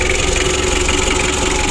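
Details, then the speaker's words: Rebuilt Mitsubishi L300 diesel (2017) idling after cold start: steady idle with loud rough rasping clatter from the Bosch injection pump, serviced with 12 mm rotor head but not replaced for cost; noisy injection pump. "di sini kita mendengar suara berisik di Bos pomnya"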